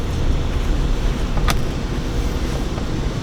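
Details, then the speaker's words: Renault Clio Mk3 on a road test after the rear brakes and wheel bearing were replaced, recorded from inside the car: a steady low road rumble with no growl or hum rising with speed; the bearing is quiet and healthy. "just before quit protests and that sounds absolutely fantastic"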